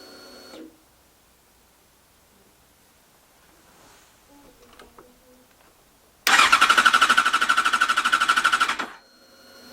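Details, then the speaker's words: Yamaha FZ6 Fazer S2: the starter spins the engine with even pulses about three a second, and the fuel pump is heard, but it never fires; crank no start, suspected no spark. "bike just turns over and just just doesn't start so it would seem that there's no spark or possibly no fuel"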